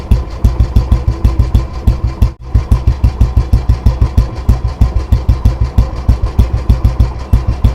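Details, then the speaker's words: Old disposal Royal Enfield Bullet 350 after restoration (engine not opened, only tuned and cleaned; carburettor cleaned, clutch side repaired): slow, deep, even idle thump at about three beats a second with no misses or knocks. Healthy engine and exhaust beat. "सो आपने इसके engine का भी sound सुन लिया और इसके exhaust का भी sound सुन ही लिया, कितना प्यारा इसका बीट निकल कर आया है।"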